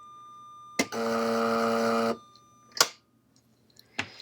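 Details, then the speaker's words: US military AN/UGC-74B communications terminal (dot matrix printer) that won't print, fault believed electrical: a sharp click, then about a second of steady buzzing alarm, then a few clunks. The paper didn't line-feed; the printer is flagging a fault. "See, the paper didn't it didn't move now. It didn't do a line feed. The alarm goes off again."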